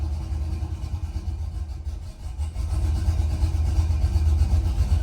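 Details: Gen 3 LS after a cam swap, running the factory file with no tune, idle airflow adapting about 8 grams: deep, uneven loping idle that dips, then steadies. Big cam idles rough and low on the stock tune.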